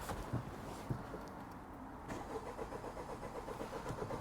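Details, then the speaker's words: Honda Civic Type R FK8, Category S non-runner, new battery fitted, half tank of fuel: starter churns about four beats a second with uneven compression pulses but never catches; cranks but won't start, cause not yet found. "baffled absolutely baffled it's got half a tank of fuel"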